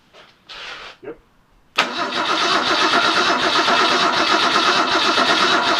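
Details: Ford 200 inline-six cranking steadily with even compression beats but never firing, even with ether sprayed into the carburetor; crank no start, later cured by running an extra set of jumper cables to give the coil more power.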